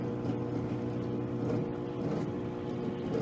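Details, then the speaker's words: Roadside-salvaged bottom microwave test-run: coarse buzzing hum with slight uneven wobble; fan sounds awful, suspected full of grease; this unit heats fine apart from the fan. "Listen to this fan. It sounds awful. This bottom one's going to be just full of grease and nastiness."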